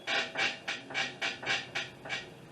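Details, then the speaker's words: 2005 Honda Accord with 270,000 miles, driven: rhythmic squeaks about three a second, also occurring over bumps and when getting in or out, from worn lower control arm bushings; a strut fault was first suspected. "i drove it around a little bit i definitely heard it took a little bit for it to start doing it then it started to do it hope you hear that squeaking"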